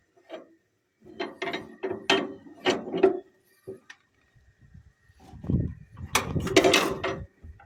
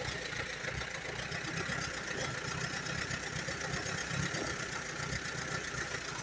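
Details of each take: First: 1938 Allis-Chalmers B with rare Waukesha engine, hand cranking with good compression: bursts of ratcheting clicks then a crisp snap each turn; magneto impulse coupling tripping normally. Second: 1938 Allis Chalmers B tractor with rare Waukesha engine, just bought: lumpy uneven idle with irregular pulses under steady exhaust drone; runs only on choke, plugs a bit rich, carburetor needs rebuilding badly.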